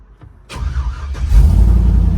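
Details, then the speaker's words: 1965 Ford F100 on a Crown Vic frame with a bone-stock 5.3 LS swap, newly running: brief crank, fires at once and settles into a quiet, deep, even V8 rumble; normal healthy start. "I love the fact that this truck is very quiet still got a rumble but it's not a obnoxious but once you whip the throttle it does have a sound to it"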